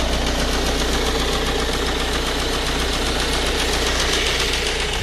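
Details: Ford Focus 1.8 TDCi 115 diesel at a rough idle: a quick, uneven ticking knock about four times a second; shaky around 1000-1100 rpm and louder after 10 minutes of driving; diagnosed as a faulty high pressure pump.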